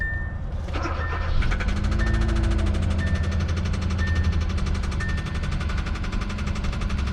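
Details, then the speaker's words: 2016 Hyundai Accent, one owner, 97,000 miles, idling: light, quick, uneven top-end tapping over the low running note; check engine light on, driven daily until about three weeks ago, possibly when the tapping began; cause not confirmed. "says that it runs good but down here we see check engine light is on tapping noise and engine was driven daily until three weeks ago probably when that tapping started"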